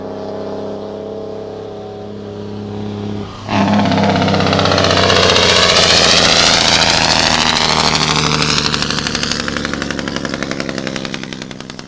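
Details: Cummins ISM diesel: idle, then an abrupt loud roar that fades into hard rapid rhythmic barking as revs drop; unusual compression brake noise.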